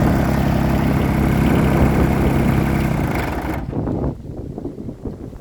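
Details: Deere 332 at full load, 64°F, after running over an hour earlier that day: rough, uneven running stumbling about three to four times a second. It still misfires, worst when cold with smoke, and improves as it warms.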